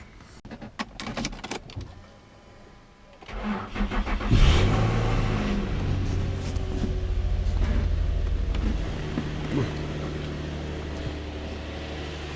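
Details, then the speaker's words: V35 car after reconnecting a possibly undersized battery: brief starter whirr, then it catches at once and settles into a steady, even low idle. "well started fine"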